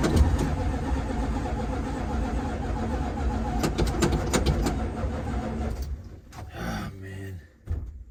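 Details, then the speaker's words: Dodge Dart after long lay-up, fuel lines and filters replaced, first start attempt: starter spins engine at an even slow beat for about six seconds but it never catches. "Failure from the get-go. All right, we start digging deeper."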